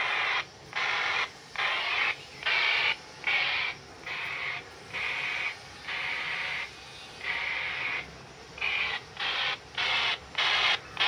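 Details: RigExpert AA-230 Zoom SWR2AIR feature on a dipole being shortened to tune from about 74 to 100 MHz; chain of short high beeps, tone pitch rising as SWR drops toward 1:1.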